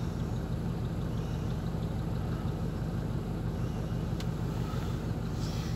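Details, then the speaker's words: SsangYong Musso after replacing the engine temperature sensor for lost cold idle. The warmed engine idles normally at about 900 rpm with a low, even rumble, no misses or knocks. "Так ну вот двигатель прогрелся у нас Ну и где-то 900 оборотов стоит"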